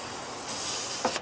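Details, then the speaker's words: Engine leak-down test, 100 psi shop air into cylinder at top dead centre, both valves closed, rocker cover off to listen: steady hiss then short puffs, a little air passing the piston rings, minor blow-by. "now can you hear there is a little bit of air passing through that cylinder"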